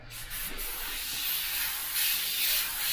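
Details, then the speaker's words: Soft, even airbrush hiss with gentle swells and no spitting or gritty sound after thinning the paint with water and back-mixing; smooth spray with correct paint consistency. "and then you've got your nice consistency again to paint with so a lot of it is your consistency of your paint getting your paint consistency right"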